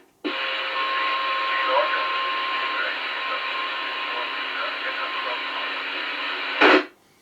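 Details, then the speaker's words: Handheld radio field test, other operator about two-thirds of a mile away: thin band-limited hiss with only a faint muffled trace of voice; receive audio weak and unintelligible, cause unclear. "now i can't tell what you're saying you'll need to speak really closely into that please"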